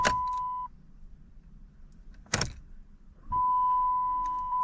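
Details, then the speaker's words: 2013 Dodge Challenger, crank-no-start with battery at 13.08 V: at key-on only chime tones and near silence, no fuel pump prime buzz from the tank; fuel pump suspected, not yet confirmed before further testing. "Still don't hear the pump. Well, let's crank it. No. I don't hear the fuel pump at all. So, we may have a problem with the fuel pump on this vehicle."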